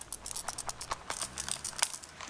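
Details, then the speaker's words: Vintage Sharp calculator, before disassembly, shaken by hand: irregular light clicks and ticks as something loose rattles around inside the case. "i don't know we got some rattlage can you hear that"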